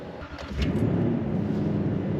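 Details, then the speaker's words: Toyota Tundra cold start at about 0°F (truck reads 5°F, windchill near -15°F), its coldest start yet: quiet cranking, catches in about half a second and settles into a steady, even idle; normal cold start. "Wow. I don't know if you could hear that, but that was an interesting start. The coldest start I have ever started this truck."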